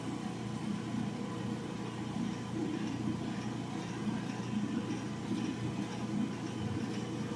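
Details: Old General Electric gas clothes dryer repaired for not heating: steady even drum rumble with soft burner roar, no knocks or scraping; normal running with burner heating after repair.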